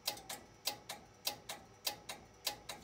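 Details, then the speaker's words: Strowger PABX with exchange line circuit enabled, call set up from test set ringing the exchange line: crisp mechanical ticks about a hundred a minute from the AC ring-detect relay, line finder hunting periodically from the exchange line fault. "you hear it clicking you hear that when I'm over here and that clicking is corresponding to that AC relay which is the ring detect relay so and the finder hunting periodically"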